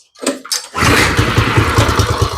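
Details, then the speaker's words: Small go-kart engine, first start, no choke: a few cranking coughs, then catches into a slow, lumpy, uneven idle that sounds ready to die; idle speed set too low, later raised. "see it sounds like the idle's just way low but I don't want to turn it up too far because I don't want to try to run off on"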